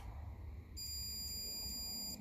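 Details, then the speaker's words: 1957 Ferguson 35 TVO tractor, old Lucas key ignition switch tested with battery lead disconnected: the continuity tone holds about a second and a half then cuts out with the key on, so the switch's internal contact is intermittent. "so definitely is like there's a bad connection in there espe when to turn on the key that should stay beeping"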